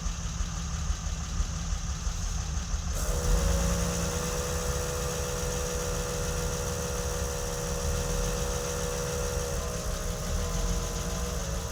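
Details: Uneven, wavering running note shifting abruptly a couple of times on a BMW E30 M20B27; stumble from fuel pump power cutting in and out at a bad connector.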